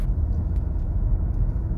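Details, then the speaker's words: Seat Leon 5F at higher road speed after the loosely seated instrument cluster was padded with felt tape on double-sided tape: steady low road rumble and no clicks or rattles from the dash; cluster now quiet. "bei höheren geschwindigkeiten absolute stille ja das ist echt von seat eine ganz schwache leistung"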